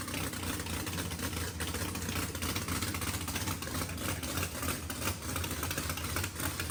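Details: Mississippi Queen V8 after first start following fluids, oil change, plugs and fuel flush; exhaust had blown out water. Even low rumble under heavy hiss, no misses or knocks. Healthy idle; needs throttle blade, fuel pressure sensor erratic.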